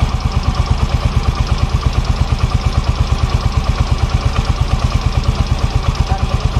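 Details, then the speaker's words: Yamaha Mio Fino 125 scooter: sharp, regular ticking about three per second over idle, louder with rpm and when hot after a long ride; valve clearance suspected too loose, not yet confirmed. "Ini masalah dari klep nah ini pokoknya di bagian area bagian area toilet ini celahnya mungkin terlalu longgar"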